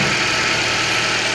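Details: Chevrolet Celta/Classic after replacing the accessory belt bearing that was making a strange bearing noise: even, steady idle with a smooth hum and no whirring or chirping from the belt side; sounds healthy.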